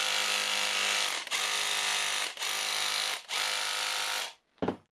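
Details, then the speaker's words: Makita DHR202 18V cordless hammer drill, repaired after worn brushes and stopping fault: four strong, even one-second bursts of rapid hammering with short pauses; healthy, forceful hammer action, fixed. "We have some nice coming force. So, I think it's good."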